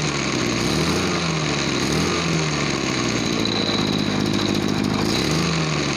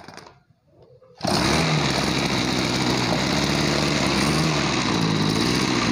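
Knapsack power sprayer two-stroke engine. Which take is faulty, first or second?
second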